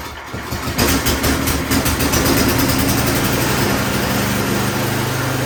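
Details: Snow blower small engine after a service and inspection, just before testing the traction and auger drive: a quick pull start, then the small single settles into a steady, even putter with no misses or knocks; normal running.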